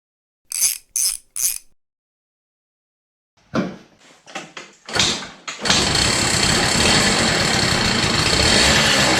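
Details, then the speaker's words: CPI two-stroke scooter, idle jet soldered shut and redrilled to 0.35mm: kick-started, idles with uneven stuttering misfire; mixture screw now has effect but must be almost fully out, still running rich, idle jet thought still too big. "now the mixture screw has some effect as the idle jet is more suitable better but it's still misfiring it is still running a bit rich I think the idle jet is still too big"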